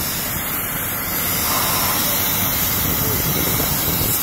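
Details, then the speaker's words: Truck air brake glad hand coupling with truck running: loud, steady, unrelenting hiss of escaping air; bad leak from worn glad hand seals. "It's leaking. Bad leak. Don't let me know my seals are bad. My seals went bad on it."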